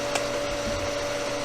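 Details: Pool pump motor that had been humming without starting, recorded after a capacitor replacement and switching the breaker on: a smooth, steady, even mid-pitched motor hum with no buzzing or stalling, starting and running normally.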